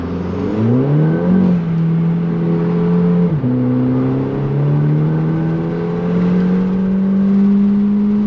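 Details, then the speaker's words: Audi TT Mk2 8J TFSI project, unmapped, on its first drive after upgrades: the engine note climbs with revs, then a heavy booming low drone builds and holds under load in sport mode, bringing vibrations; exhaust drone under acceleration. "car drove lovely but if you put it in sports mode the vibrations kick in the drins kick in the revs go up and Hell Breaks Loose"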